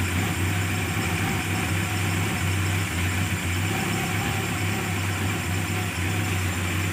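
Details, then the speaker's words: Carburetted engine after fixing hard starting, misfire and power loss by opening the solenoid valve and removing its needle; starts immediately, responds well, steady smooth idle with no misfire or knocking; normal idle. "dan responnya bagus jadi sudah normal ya sudah bisa di starter langsung hidup"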